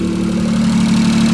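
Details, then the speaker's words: Daihatsu Hijet 4x4 mini truck, 660cc carbureted three-cylinder, idling before a valve adjustment and warming up to adjust hot: fast light ticking in step with engine speed, from valve clearance tapping. "hear my valves tapping away everything I read said to adjust the valves hot so I'm going to get this thing nice and hot by idle here for a little bit and then we're going to tear into it"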